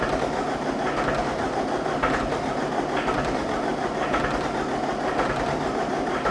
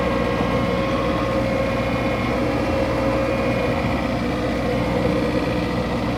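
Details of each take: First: 2010 John Deere 320D with John Deere 4024 diesel engine, auction machine hard to start cold, on jump box: uneven chuffs about once a second, now firing on more cylinders but not yet running. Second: 2010 John Deere 320D with a John Deere 4024 diesel, bought at auction and hard to start: an even, steady idle with no misses; faint alternator belt squeal expected to stop as voltage rises.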